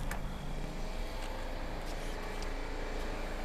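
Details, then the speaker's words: Mazda FC RX-7 rotary with a reconditioned fuel tank and fuel lines possibly hooked up reversed: low steady churning as the starter turns the engine over with no firing. It cranks but won't start, with reversed fuel lines suspected. "so we thought maybe the fuel lines were reversed so we reversed them from reversed yes reversed so i probably need to prime a couple times"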